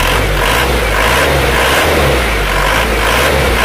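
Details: Isuzu Panther diesel, injectors set to 180 after valve and nozzle work: revving with a hard, rattly clatter over the engine note; injection pump timing set too far advanced.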